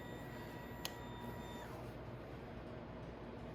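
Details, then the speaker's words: New Venom X22R Max 250cc fuel-injected motorcycle being set up, when the power wire is connected: a faint thin whine for about 1.5 seconds, then a clean cut-off. Normal fuel pump priming. "Oh, I can hear the fuel pump kicking on."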